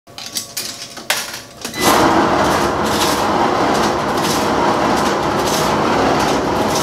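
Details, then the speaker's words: Laundromat dryer drum turning; a few clanks, then a loud steady rumbling scrape. Worn drum wheel bearings, which were then replaced. "so your driver is not making a very good noise"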